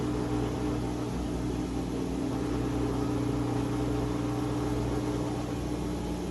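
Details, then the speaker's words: Whirlpool WFW75H washer, E1/F9 codes, after cleaning the pump filter, on spin: steady motor hum with a low drone. Drain pump strains on fabric still caught in its housing but is working. "the pump motor sounds like it's going to work around it eventually it'll tear the pump motor up but for right now it's working"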